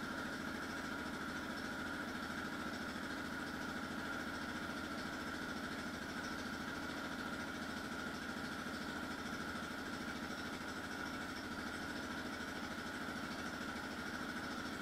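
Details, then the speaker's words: 2004 Yamaha Raptor 660R single-cylinder ATV cold start with new eBay carburetor installed; even steady thump at idle with constant tone above, no misses or hunting — running clean. "Here is another video from later in the video with audio of a cold start though, just to give you an idea of what it does sound like."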